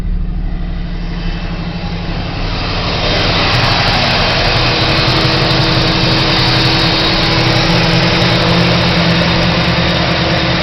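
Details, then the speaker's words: 1985 Pontiac Trans Am 305 TPI V8, just bought, mass airflow sensor missing, starting and idling: lumpy idle with uneven pulse about four beats a second; runs rough, hesitates on light throttle below 1500 rpm; owner suspects missing MAF. "It runs a little rough. Hesitates when I lightly push on the throttle, but after 1500, I've got pretty good takeoff, and it runs pretty well down the road, other than that hesitation."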